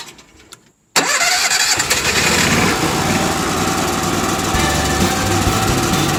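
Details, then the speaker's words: Onan RV generator that had cranked but wouldn't start (code pointed to electrical or oil, but neither), after a $65 repair and reinstall: cranks, catches within a second, steady even drone with no grinding or squeal; healthy. "all right it's back in i fixed the problem that i had a quote for fifteen hundred dollars from the got it all put together so here we go"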